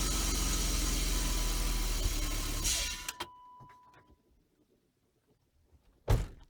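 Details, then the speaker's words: BMW E36 engine started during a used-car check at the belts and pulleys. It runs with a steady, even idle rumble and no belt squeal or squeak, then shuts off. "all right so what did you not hear there's no squeals or squeaks in the belt"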